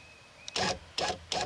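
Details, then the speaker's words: 1999-2007 Chevy Silverado GMT800 rear window regulator after replacing an incorrect previously installed one, tested key on: short, clean motor whirs starting and stopping crisply, no grinding; working fine. "Seems to be working just fine too."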